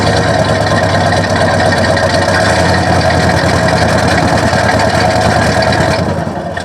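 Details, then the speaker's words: 1970 Cadillac Sedan DeVille after new cap, plugs, wires and belts, heard at the tailpipe on throttle: loud exhaust with uneven, lumpy, missing pulse, laboring to run; rough running, carb kit planned. "not right yeah it's missing carrying on sounds like it's laboring to run just not what we want to sound like when we're cruising around in our old caddy"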